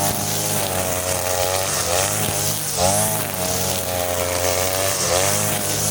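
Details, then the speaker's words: Side-mounted brush cutter running the leaner blade setting of the carburettor mixture screw but fitted with nylon line, cutting short grass: two-stroke wail sags in pitch at each bite into grass, then climbs back; it cuts but lacks power. "Lihat sendiri kan, boleh, memang boleh, tapi tenaganya tidak ada guys ya."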